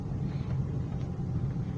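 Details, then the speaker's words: VAZ 2108/09/99 driving after a steering rack repair using a tube insert as a bushing, the earlier new tie-rod ends and ball joints not having cured it: even road rumble with no clunks over bumps, the rack now quiet. "ну что ребят перестала река греметь"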